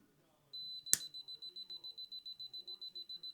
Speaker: When the unit detects a gas leak, it'll rapidly give beeps. And when resets, it'll give a single beep ready to go.